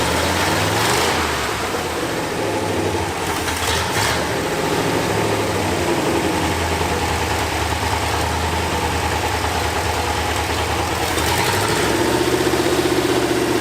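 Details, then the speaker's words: Ford F100 V8 back after 9 years sitting, distributor set at cylinder 1 TDC; idling cold with no choke, no smoke; steady, even idle with smooth low rumble, no misses or knocks; may need more accelerator pump squirt; healthy. "that's good hell yeah man she's a runner that's a that's a good car yeah sounds good might need just a little more squirt on the accelerator"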